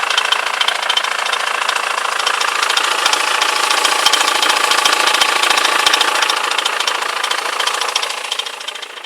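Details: BMW E91 with M47 diesel at idle: a sharp, fairly regular clatter of about three beats a second over the engine note, an unexplained strange noise.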